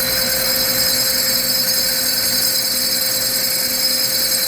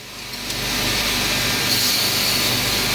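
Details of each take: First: Core drill cross drilling soft jasper in a cross drill jig at correct, fairly fast feed rate after the bit is set into the piece: steady high sizzling sound with faint constant whine, no squeak, indicating normal cutting. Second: Core drill cross-drilling stone in a half-pipe jig: a steady high gritty hiss of the bit cutting, then a thin whine as the tone changes when the end core piece breaks loose, signalling the cut is through.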